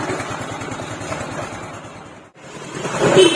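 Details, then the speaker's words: Scooter after a worn, reduced-diameter crankshaft was repaired without removing the engine: smooth, even engine pulse that dips briefly and then picks up cleanly, with no knocking or rattle; the pulley fan noise is gone and the engine runs normally. ", dengar bunyi, sekarang dah licin"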